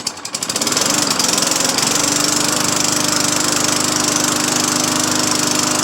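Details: Craftsman 20-inch 4 hp push mower after new cable and carburetor install, five primes: catches quickly on the pull and settles into a steady, even putter with no misses, surges or knocks; fixed, running healthy.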